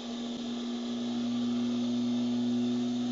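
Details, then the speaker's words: Automotech AS-235SBE 3.5-ton twin hydraulic ram two-post lift lowering at lever-controlled speed, oil returning from the pistons: steady constant hum with a soft rush of returning oil, smooth descent, no groans; normal lowering. "and in the second we're going to see obviously all the oil coming back from the pistons all the way up"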